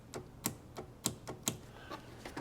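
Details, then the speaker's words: 1981–1991 Mercedes W123/R107/W126 heater monovalve solenoid bench-tested with 12 volts applied to its two pins: sharp, strong clicks about two a second as the valve opens and closes; normal solenoid click. "If I apply 12 volts to these two pins, I should hear a clicking noise, click, click, click, indicating that the valve is opening and closing."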